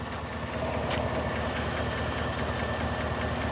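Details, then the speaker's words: 2017 Chevy Silverado 5.3 V8 at about 131,680 miles, warm after 10 minutes of idling: light, fast, uneven ticking over a smooth idle, not heard when cold; lifters suspected, cause unconfirmed. "customer dropped it off yesterday I didn't get a chance to look at it but the complaint is there's a ticking"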